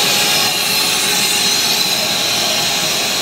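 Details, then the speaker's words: Truck compressor unloading at a silo on sloped ground: loud, steady high-pitched hiss with no rhythm, compressed air escaping from a valve that was not fully tightened. "gdzieś tu Powietrze ucieka moment a troszkę zaworek nie dokręciła gdzieś tam powietrze uciekało na swoim kompresorze"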